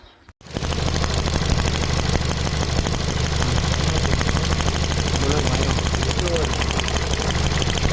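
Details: Ford Fiesta engine at idle with an uneven, stumbling beat of about three pulses a second, now and then dropping a cylinder; misfire detected, transistor ignition repair mentioned, cause not confirmed.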